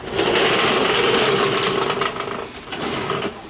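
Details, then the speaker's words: VW bus engine, top end redone about two years ago, became noisy while driving: loud fast clacky rattle over the running engine, steady with speed; valve spring found broken apart, valve possibly damaged. "it looks like the valve actually the spring fell apart and now hopefully it didn't take out the valve or bend the valve"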